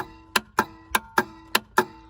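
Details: 1999 Four Winds 33SL motorhome, Ford F53 V10 Triton, engine compartment battery control center: sharp crisp relay clicks about every third of a second when a harness is plugged in; harness-related, batteries draining, cause unknown.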